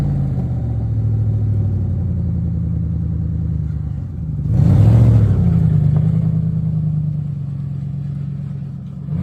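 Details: 1999 Lincoln Continental with stock exhaust after exhaust leak repairs: deep steady idle swells into a smooth rev and settles back, no puffing or ticking from exhaust joints; normal exhaust note.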